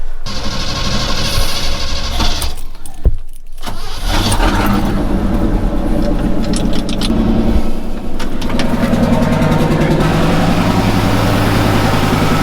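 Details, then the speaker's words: Chevy squarebody truck V8 started after battery terminals converted from side to top posts; starter cranks, engine catches after a few seconds, then idles with lumpy wavering beat, running rough, cause not yet found. "running a little rough let's see see what we can do for this"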